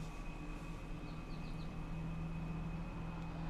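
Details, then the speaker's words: Truck after repair of an 8-year engine knock and low oil pressure problem: steady low idle hum with no tapping or knocking; oil pressure now just below 40 at idle, about 60 driving. "It goes a little bit below 40 on idle, and when I drive it, it goes around over here around 60. But there's no more knocking."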